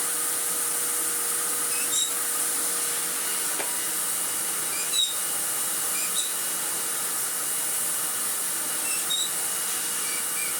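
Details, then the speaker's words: Restored 2001 commercial Karcher K5200 cylinder vacuum with new paper bag, test run after restoration: constant high airy rush with steady motor whine, no surging, rattle or grinding; runs smoothly and healthy, strong airflow. "Oh, it's a very familiar sound off this forehead. It's lovely."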